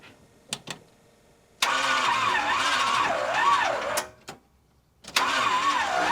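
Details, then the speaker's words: 1976 Chevrolet C30 dually, new Gen 6 454 big-block with 5 quarts of oil, first start attempt on a jump starter: two long, labored cranks wobbling with each compression, no start; no cranking power, throttle stuck, a fuel line leaking. "Okay, first off we got like no cranking power, and then our throttle got stuck."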